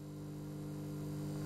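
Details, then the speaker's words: Samsung CM1929 commercial twin-magnetron microwave on switch-on: heavy thump, then a loud steady low transformer hum with the door shut while the magnetron runs but fans don't and no current is drawn; fault from a neutral shorted to chassis. "I switch it on I can hear a sound a big heavy thumb and I can hear a humming noise like the Transformers energized"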